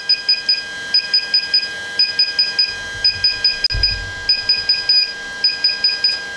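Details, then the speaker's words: DJI Phantom 4 Pro remote controller firmware update via DJI GO: high thin beeps in quick bursts, repeating about once a second while percentage climbs and blue LED shows; normal update signal. "so click on start upgrade and you'll hear the beeping sound and you'll see the percentages right"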